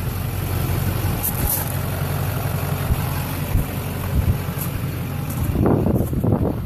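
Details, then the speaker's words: 2004 LLY Duramax extended cab (PCV reroute, 3-in downpipe, 5-in exhaust) idling on AC Delco injector cleaner mixed with diesel, fed from jug, to fix white smoke at idle: steady even V8 diesel rumble, idling smoother. "I just bought some AC Delco uh injector cleaner hooked up the fuel lines to a little jug down there and it's uh so far sounds like it's idling a lot smoother"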